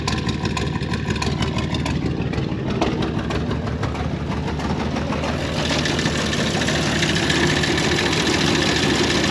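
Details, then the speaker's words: 1930 International fire truck (believed A5), six-cylinder: rough uneven idle, stumbling beats about three per second; owner thinks it runs on about four of six cylinders despite cleaned, swapped plugs, unsure if plug wires or plugs. "if you heard that uh it just sounds like it's missing on a couple cylinders but I think it's only running on like four cylinders out of the six"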